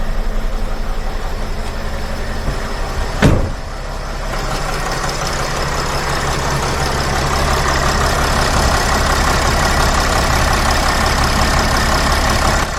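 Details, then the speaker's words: Sprinter van, 3.0L diesel, after engine oil cooler replacement with all gaskets and O-rings renewed: steady, even idle with low smooth drone, no knocks or misses after one brief bump, no dash lights; oil leak fixed, normal idle. "so as you can see there are no lights on on the dash the engine is running everything is good so this is fixed guys I'm happy with this"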